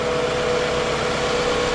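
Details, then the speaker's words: 2003 Toyota Camry at idle after mass airflow sensor refit, PCV valve suspected next: steady even idle with smooth hum, no knocks, misses or hunting; sounds better and as it should. "She does sound better already, so that's a win. So it sounds like she's supposed to sound."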